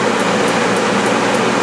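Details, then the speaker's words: Propane heater blower running at full speed with the propane turned off, before a dimmer modification: a loud, steady rush of air with a faint regular fan pulse. Pretty loud, moves a lot of air, running normally. "pretty loud sucks a lot of air through it"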